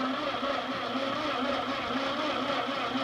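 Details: Ford 8N tractor that sat 4–5 years, after servicing the points, refitting the distributor cap and coil, and a squirt of carb cleaner: slow, laboured cranking of about one heavy beat a second, never catching. Battery voltage drop suspected.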